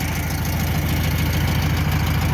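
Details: 1962 VW Bus air-cooled four, after power loss on a trip: even steady low putter idle, no misses, not leaking; running smoothly.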